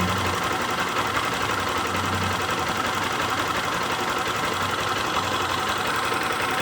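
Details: Honda CG Start 160 motorcycle single idling: busy uneven mechanical clatter over the exhaust, owner unsure if normal; cause not identified.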